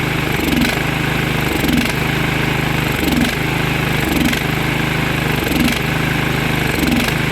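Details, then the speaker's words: Briggs & Stratton Vanguard small engine after carburetor work, slightly low on oil: it runs fairly steady but dips and picks up about once a second. Fuel starvation because the fuel line is too long. "But yeah, now it runs nice. The only reason it's doing that, it's not getting proper fuel flow because this line's too long"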